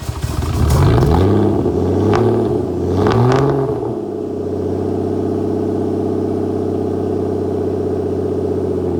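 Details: Flood-damaged Aston Martin DB9 on a cold start with lots of smoke: rough, lumpy cranking and flaring revs settle into an uneven, stumbling idle, misfiring.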